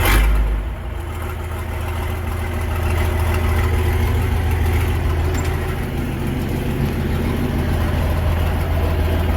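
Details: Versatile 800 diesel tractor at idle in neutral with its muffler removed (the old, likely factory muffler lasted about 50 years); a loud, raw, deep bark settling into a steady chuff. Missing muffler.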